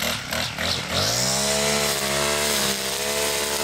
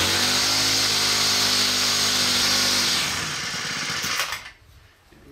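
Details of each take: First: New Poulan Pro PP428S string trimmer after carburetor adjustment (factory too lean, died on throttle from idle): revs cleanly to a high steady wail without bogging or surging; runs good, pretty powerfully. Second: New Poulan Pro PP428S string trimmer two-stroke, run without choke; high buzzy rev holds briefly then sags and dies within seconds; carb suspected too lean from factory setting.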